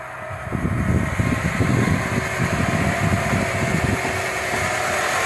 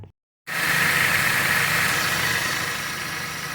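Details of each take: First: Dodge (Avenger/Journey/Chrysler 200 family) engine at idle: steady rough, gritty whirr over the engine that doesn't change pitch; alternator vibrates to the touch and is the prime suspect for a worn bearing. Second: Dodge (Avenger/Journey/Chrysler 200) engine that had a cats-fighting noise, after new pulley and belt refitted: starts and settles into a steady even idle, faint high note fades, no noise or knock; repaired.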